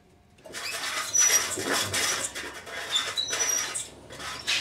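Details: Over light whirring, thin high squeaks come and go every second or so from the differential in the drive roller of a Swardman Electra 2.0 reel mower as the roller turns.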